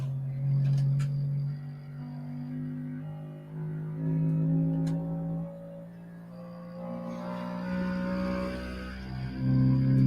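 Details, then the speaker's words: New Bambu Lab X1 Carbon 3D printer running its resonant-frequency vibration calibration: deep humming buzz stepping through pitches and swelling in loudness; normal self-calibration sweep, alarming-sounding but nothing wrong. "Yeah, if I didn't know any better, that would scare the heck out of me. Yeah, knowing what it does, I find very interesting."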